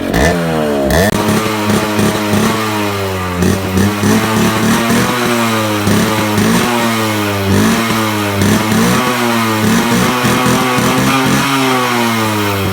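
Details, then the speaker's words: 2001 Suzuki Samurai two-stroke motorcycle started after about two years off the road: crisp ringing rising and falling with throttle blips, pulling cleanly without misfire or stumble; healthy two-stroke running. "അങ്ങനെ രണ്ടു വശത്തിന് ശേഷം നമ്മുടെ Suzuki സമ്മറായി start ചെയ്തിരിക്കുകയാണ്"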